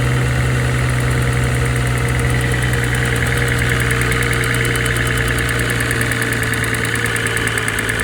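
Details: Mercedes-AMG GT43 at idle: light fast ticking over engine hum, first diagnosed as timing chain but traced to faulty EVAP purge valve; normal after purge valve replacement.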